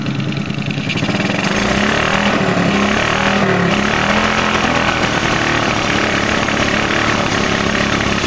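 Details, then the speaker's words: Smash 110 motorcycle single with a faulty carburetor, revved with the carburetor hole uncovered. It runs ragged and uneven, stumbling and popping; covering the hole cures it: misfire from the uncovered carburetor opening. "Pag walang takip ito, pag hindi mo tinakpan to, ang pangit ng tunog oh. Palyado. Ayan o, palyado."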